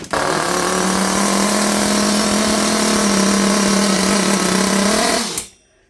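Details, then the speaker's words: Hotbodies Dirt Demon nitro RC truck during carburetor tuning, low-speed needle leaned out: small engine fires and runs at a high, steady buzz for about five seconds, then cuts out, with fuel spilling out of the truck; nitro engine running. "And she cranks up, but as you guys saw, the fuel is just spilling out."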